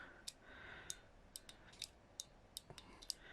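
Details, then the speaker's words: 2023 Lada Vesta NG brake pedal light switch, replaced three times, worked by hand: sharp uneven clicks as the plunger sticks in two places, at the start and middle of travel; brake lights fail. "ход не свободный. Его подклинивает в 2 местах. В начале и в середине."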